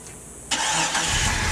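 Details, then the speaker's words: Jeep 4.0 inline-six first start after cheap overhaul and reinstall, oil pressure built, exhaust just hooked up, antifreeze not yet added: brief quiet, starter catches and engine fires at once into even, steady run. "still gotta put antifreeze in it get to get that stuff hooked up let's fire it up and see how it runs"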